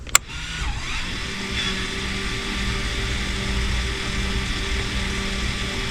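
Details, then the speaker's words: Toyota 4Runner (3rd gen) with a new rear axle: an aftermarket electric e-brake actuator being applied gives a sharp click, then a steady motor whine for several seconds; once it strains it is done, and operation is normal. "Takes a while for I know the it says that, but once you hear that straining, that's done. Don't force it. It'll stop."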